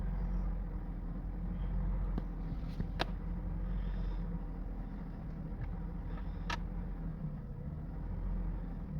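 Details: 2002 Honda CR-V 2.4L idling with misfire code, rpm rising and falling: low rumble with uneven, lumpy beat never smoothing; cracked air hose leak, throttle body, spark plugs and excess oil addressed but rough idle not fixed.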